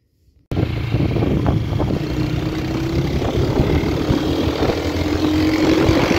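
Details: Honda Titan 125 single-cylinder motorcycle, worn, at idle: uneven beat with occasional stumbles breaking the firing rhythm; intermittent misfire, cause unknown, new carburettor improved it but not fully.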